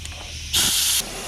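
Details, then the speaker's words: Mitsubishi 3000GT VR-4 boost leak test with boost leak tester: half-second burst of sharp, high-pitched air hiss as intake is pressurised; leak traced to a most likely loose intake pipe coupler, pipes already welded. "so we found this pipe the coupler down there is most likely loose because nothing else is there"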